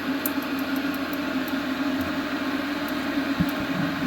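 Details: Eberspacher B2 12-volt gasoline heater rebuilt from two units, modified start bypass, test fire about 10–30 seconds in while glow plug heats: steady even fan rush with constant low drone, no ignition yet; normal pre-ignition fan run.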